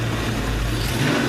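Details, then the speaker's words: 1992 Ford Mustang 5.0 V8, warm. Pulls up strong and even with a steady, full exhaust note and no knocking or tapping; engine sounds healthy, cold piston knock gone once warm. "Pretty strong. Sounds good."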